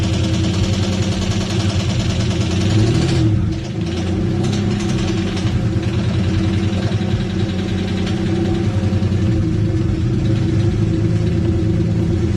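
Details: Engine previously suspected of rod knock, run to locate the noise: steady idle with a fast, light top-end tick that follows revs. Cause was seized hydraulic lash adjusters (lifters), not a bottom-end knock.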